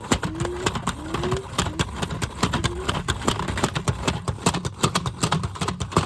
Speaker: Yeah, that sound happened because it was shaking, that's why.